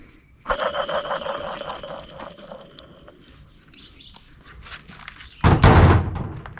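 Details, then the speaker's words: Cub Cadet mower old deck spindle turned slowly by hand after removal: thin scratchy squeal with rough drag, sounds like dry bearings (suspected); worn teeth, replaced with new spindle; dry bearing squeak. "sounds like bearings that are dry almost nothing if you can hear over my dog panting"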